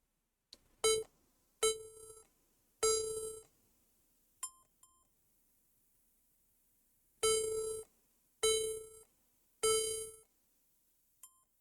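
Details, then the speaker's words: HP laptop with no display; power and Wi-Fi lights on and CPU fan running at high speed. It gives three long beeps and two short beeps, which HP lists as a possible memory fault. The board was later judged a bad motherboard. "all i'm getting the code is three long beeps and two shor"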